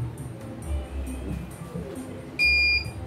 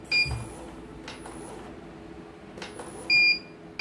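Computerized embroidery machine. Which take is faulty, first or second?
second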